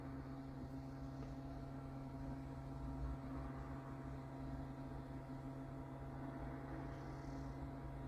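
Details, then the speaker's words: Motorhome water pump running on auxiliary after tank refill, hot tap open: quiet steady hum with uneven rushing and clicking as lots of air purges from the pipes before water comes through. "this is lots of air in the pipes oh here it comes almost remember to close the uh close the tank outside this little lever here"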